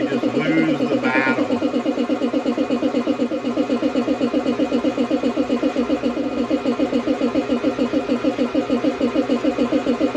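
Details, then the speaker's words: Speedaire Melben air compressor that stalled near 70-80 psi, after cleaning valve plate and replacing tank check valve: steady even chugging about four beats a second, no slowing, now running past where it used to quit; normal running. "it would easily run you know all the way to cut off 105 pounds of pressure okay that's something new normally by now it would be shutting itself down and quit moving so something we've messed with has made it better at least"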